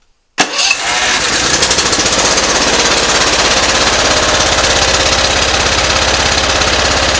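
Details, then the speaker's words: Simplicity ZT2500 mower, Briggs & Stratton Professional 724cc 24HP twin: runs uneven and lumpy; pulling plug wire on one side made no difference, so that cylinder misfires, plugs good, bad ignition coil shorting out. "as you can tell that did not make a difference on it so we either got a dead plug or the coils bad are shorting out on that side for the coil telling it not to fire"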